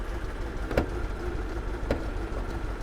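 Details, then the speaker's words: Car with a check engine light for cylinder three misfire; swapping coils moved the fault to cylinder four, pointing to a failed coil. At idle it runs rough and shakes, with a low uneven rumble and an occasional sharp exhaust knock. "i grabbed some coils so we're gonna try to fix this and that's that's worrisome right there that's very very worrisome but as you can hear the engine is not real happy he's running a little bit rough"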